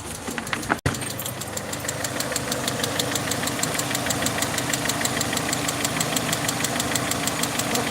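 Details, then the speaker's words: Peugeot 307 2.0i at idle after vacuum leak fix: sharp regular tick about three per second, like a valvetrain tap in the head; owner suspects a head fault, possibly timing-related, and plans to remove the cylinder head. "up so from here I can actually hear it clearly now so um can hear how loud it is"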